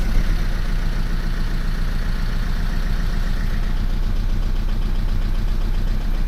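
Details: Mercedes C-Class S204 OM651 diesel idling after DIY timing chain replacement, now driven 660 km without problems. Fuel audibly returning through the return line; starts fine. Even, deep clatter with no misses or knocks: normal idle.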